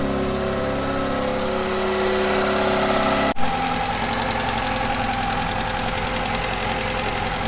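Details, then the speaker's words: Mk2 Ford Fiesta XR2 idling in the engine bay after replacing noisy hydraulic lifters (tappets) and valve stem oil seals and fitting a K&N air filter: steady, smooth mid-pitched hum, the earlier rattling tappety noise gone; normal idle. "right so as you can hear everything in the engine bait is miles more smooth than it was before um that annoying rattling tapity noise is completely gone and the car's running really smoothly"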